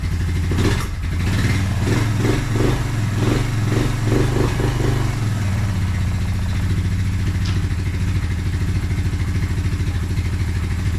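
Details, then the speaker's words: Suzuki Quadrunner 250 single-cylinder quad after about 7 years in storage, cold start on choke, in neutral: thumps with a few early blips, then settles into a steady, even run; smokes a little. "i can't believe how easy this thing started"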